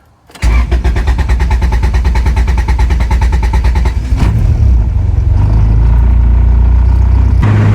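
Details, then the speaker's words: 1998 Acura Integra GSR after injector swap and new, louder fuel pump (Walbro-like), previously cranking extra turns before starting; steady cranking about three and a half seconds, then catches and settles into smooth even idle. "I should have left it open, see if there was any fuel leaks, but if it starts the first time, that means it was probably the fuel pump all along."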